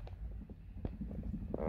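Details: Numa X Piano Fatar keybed (TP110 mechanism): soft, dull key thumps over a low room hum, no buzz or rattle after each press; the rattle came from displaced grease letting plastic touch plastic.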